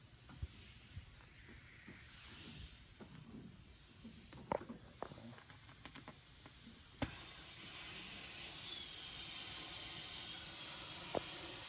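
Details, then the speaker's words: 1999 Harley-Davidson Fat Boy tire: a fast, continuous hiss of air under handling clicks as the inner tube leaks. Slime sealant didn't work, and the tube was pinched where the tire spoons dug in, or was simply a cheap, poor-quality tube. "It's coming out so damn fast. >> Oh wow. It got pinched right here."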